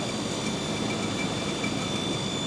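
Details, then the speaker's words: 2015 Nissan Pathfinder at idle, battery three months old: faint steady high-pitched whine over a rough idle rumble; idler pulley or other belt-driven accessory suspected, not confirmed. "it's got a whne to it she's a little whiny she's a little whiny but there it is"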